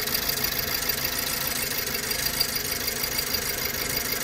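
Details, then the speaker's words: 2008 BMW E90 318 at cold idle, coils and plugs new 5 years/10,000 miles ago; uneven stumbling beat about once a second, engine shaking, misfire in several cylinders, cylinder one injector to be replaced first. "I can tell straight away it's misfiring started a little bit better than earlier on though when it was fully cold it wouldn't want to start at all so right now it's misfiring as you can tell"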